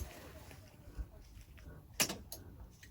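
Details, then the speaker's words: FMTV truck fan clutch purge solenoid test, air tanks filled, power switched off without engine running: single sharp click, no air purge; valve suspected not getting power or coil bad; truck overheats on hills. "it's not purging you guys hear that click but no purge there's no purge when he turns the truck off so this valve is either not getting power or the coil inside it is bad"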